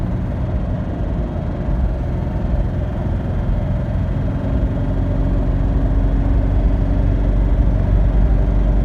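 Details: Freshly rebuilt Toyota 2H diesel at steady idle with faint quick tick in time with engine under rumble; cause not identified.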